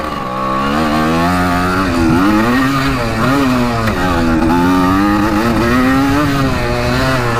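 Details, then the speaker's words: 1984 Yamaha IT200 two-stroke dirt bike running on a damaged piston and cylinder with one ring: revs waver and surge, raspy and rough, yet it still has some power. A blown bottom-end seal was also suspected. "yeah it runs pretty crappy it's got some power with that one ring though hmm it's honestly not that bad"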